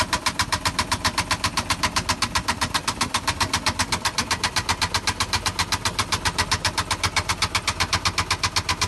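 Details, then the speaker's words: Aston Martin Vantage V12 at idle: sharp, very regular heavy lower-end knocks, about four a second. Guessed, not confirmed, to be big-end bearings on cylinders 6 and 12 failed after running low on oil. "like if i had to guess from that video clip then it's been run low on oil big m bearings for cylinder 6 and 12 have failed"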